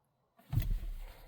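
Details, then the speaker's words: Dodge truck that won't start reliably since spark plugs were replaced, even after a new starter and battery: brake pressed, start button pushed, one dull click and no cranking; cause not found. "all right so I just get into the truck close the door keys in hand pressing the brake and just get a click nothing else is happening"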